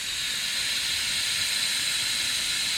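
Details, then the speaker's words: C6 Corvette nitrous system, bottle opened with the engine off: a steady sharp gas hiss as nitrous escapes at a bottle-pressure sensor fitting. "yeah it's just this fitting for the feed line um coming out of the regulator"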